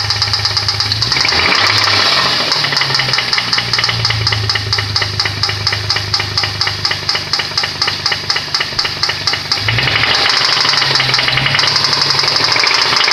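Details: Nissan VQ20DE engine: heavy regular knock about two per second over the engine, deepening as revs rise; connecting rod knock.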